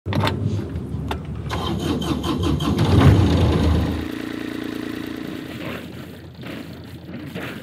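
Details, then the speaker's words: Catalina 310 sailboat with a Universal M25XPB diesel, recorded at the helm: the starter churns briefly, the engine catches and settles into a steady, even low thrum with no knocks or misses, with cooling water sputtering overboard. A healthy start. "Can you hear the beautiful hum of that universal diesel engine being started up for the very first time by me? I certainly feel the power here at the helm."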